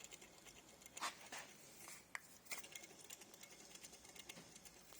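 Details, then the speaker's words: Alternator on a Porsche Boxster 986 during engine top-end work: quiet, dry, fast rattle with sharp clicks; no one-way clutch on this one. Worn alternator bearing. "bearing's gone on this one noisy bearing um there's no one-way clutch on this one so it's all right"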